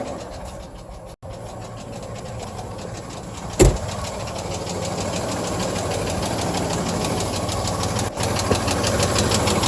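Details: 1997 GMC Jimmy petrol engine idling with a steady, fairly regular knock; noise began after driving through a puddle in a rainstorm and persists days later, cause unknown.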